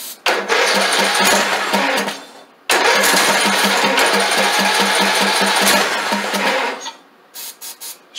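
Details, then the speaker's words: Craftsman LT2000 lawn tractor, sitting for years, first run on carb cleaner: the engine catches and revs loud and uneven, sags, dies and sputters back. The governor is seized, holding the throttle open, causing rough running. "Oh yeah, something's wrong with that governor right there. Well, that governor is froze completely. God, did you hear it rev up?"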